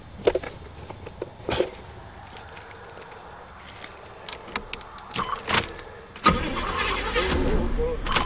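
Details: Chevy found behind a barn, starter motor fitted with a good nose swap and bench tested: scattered clicks, then sustained churning as the starter spins the engine, which tries to fire without throttle; normal starter cranking.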